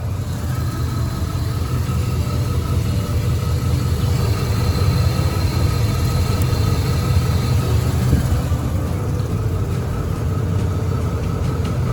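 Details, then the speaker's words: Chevrolet S-10 that runs rough, idling while the injector pulse is scoped: low rumble with an uneven, lumpy beat; the injector waveform lacks the pintle hump, showing one fuel injector stuck open. "That means it's stuck open. And let's say the computer's trying to command it."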